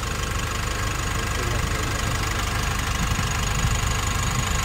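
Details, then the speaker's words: Nissan NV350 diesel after replacing injector washers and one fuel injector, no check engine light: even idle with steady low rumble and regular light clatter, no stumble or misfire; vibration problem solved, running normally. "so na-solve na natin yung problema ng NV350 so ang naging problema lang yung mga boss injector washer at saka isang fuel injector"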